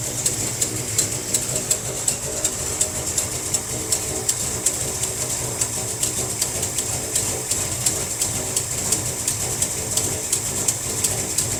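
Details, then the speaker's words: 1957 Chevy wagon big block V8, barn find, first run in about 20 years after carburetor fix and with fuel pump working: steady idle with a sharp, regular tick about three times a second from an exhaust leak. "Definitely got an exhaust leak somewhere. So it's idling pretty good."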